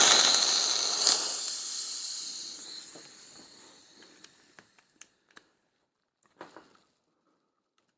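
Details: Lee Enfield CO2 .177 BB rifle, replacement magazine used at most five times: sharp hiss of escaping gas fading over about four seconds, then light clicks. CO2 is leaking past the magazine seal, which has rotted out.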